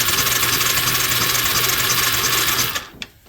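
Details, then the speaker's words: Suzuki LT300E ATV, being restored for no spark: steady electric-starter whirr with even chugging about three times a second, engine spinning freely without firing; spark present, so the suspected bad ground was not the problem, CDI now suspected; normal cranking. "Yeah, I can turn this over right now. And I still get spark."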